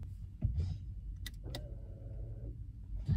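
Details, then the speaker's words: 2018 KIA Optima (JF), caliper-type electric parking brake released via scan tool over OBD2 before rear brake pad replacement; short mid-pitched actuator motor whine of about a second, then clean stop, normal EPB release. "okay the parking brake is already released I released the parking brake right now now"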